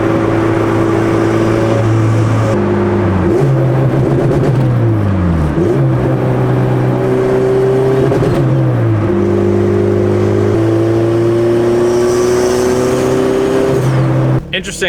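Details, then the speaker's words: Turbo B18C Honda Civic during rolling pulls: revs climb then cut out and stumble abruptly at about 4,000 rpm each pull, like a rev limiter; engine breaking up under load, cause unknown to owner. "I don't know if you guys were able to hear that, but the car was breaking up during the rollers and it seems like the car has like a rev limiter right now at like 4,000 RPM. I was just kind of like getting into it and then every time it would just go like ba ba ba ba ba at 4K."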